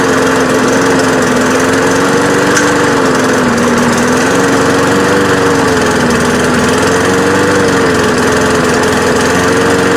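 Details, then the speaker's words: Free, trashed lawn mower after fixing a stuck carburetor float and a fuel leak: buzzy single-cylinder note rising and sagging every couple of seconds, hunting and running rough. It is not perfect but cuts grass. "so it doesn't run too good but it does run and it does cut grass"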